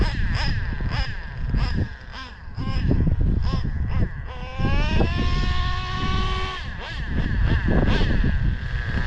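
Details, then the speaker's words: O.S. 21 TM nitro engine from a used Traxxas Revo, long stored, carburetor cleaned: brief rev then soft burbling idle; still really rich after high-speed needle leaned 6 hours, leaned another 3 hours. "real rich [Music] [Applause] I think I leaned a high speed about 6 hours screwed in the high speed of 6 hours [Music] still really rich"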